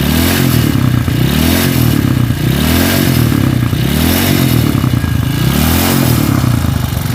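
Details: Honda CB motorcycle with stroke-up engine, vibrating badly: deep, shaky drone that swells and falls with each blip, rattly clatter from the cylinder head; worn, loose camshaft.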